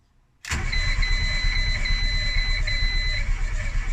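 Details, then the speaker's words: Renault Twingo after engine swap, ignition disconnected: starter engages abruptly and cranks steadily for about 10 seconds with an even chug and high starter whine, no firing; normal priming crank to pump oil around the engine. "let's try and crank it for 10. okay remember the ignition is disconnected so it's not going to start up try again"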